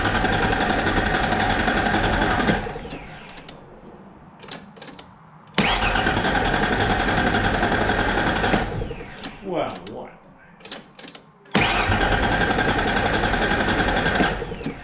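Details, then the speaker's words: 1994 Mazda B3000 with swapped 4.0 OHV, cool morning, fuel pump from other truck fitted: three even cranking bursts, never catches; pump heard running, lots of fuel, spark confirmed as it starts on brake clean, owner suspects no injector pulse. "Uh, that's not what I expected. I can hear the pump running. Uh, we got lots of fuel there."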